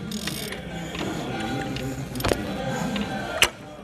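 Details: Mercedes-Benz M271 CGI engine, slow to start with chain noise: crankshaft turned by hand gives loose irregular clacks and sharp cracks from damaged camshaft adjuster (variator) gears.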